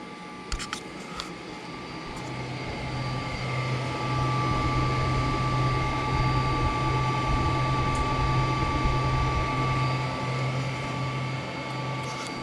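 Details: Foxbody Mustang with turbo, newly installed Ford Contour dual electric fans on Derale controller, idling about 15 minutes at 180 degrees with AC on; fans spool up to a strong even rushing hum, no rattle or scrape; normal.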